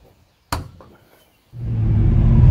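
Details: Chevy Vortec 350 V8 with aftermarket cam and valve springs, previously pinging on 87 octane, now with four gallons of 93 added, driving: one thump then smooth pull under throttle with no rattling ping; detonation gone.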